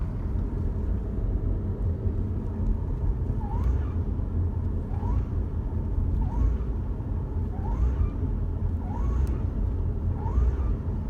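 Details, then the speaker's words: Mitsubishi Lancer GT: short rising squeaks about every 1.5 seconds over heavy engine rumble while accelerating from 1,000 to 2,000 rpm, worse on cold start; cause unknown. "got this weird noise happening on acceleration especially cold starting it's more of like a squeal noise"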